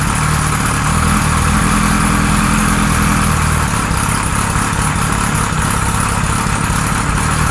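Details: 1978 Kawasaki Z1-R four-cylinder on the stand, first start after carbs installed, idle raised, no enricher: lumpy uneven idle with an irregular hunting pulse; carbs 1 and 4 good, middle carbs 2 and 3 out of sync.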